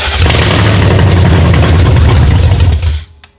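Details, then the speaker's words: Replacement E38 engine, original engine harness, clackety before priming: catches and runs with a deep, fairly even low thrum for about three seconds before shutting off; normal running. "That sounds okay. Yeah. Trying to prime it. Well, it's pissed. It runs."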